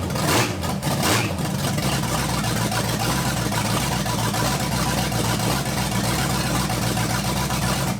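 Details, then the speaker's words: 1980 Dodge short-bed truck with big-block V8, fully wired up and checking charging, now fitted with a self-contained one-wire Performance Distributors distributor: steady, even idle with smooth low rumble, no misses, knocks or ticks; healthy. "first off what we need to do is just listen to this thing run got everything wired up make sure everything's charging and good to go"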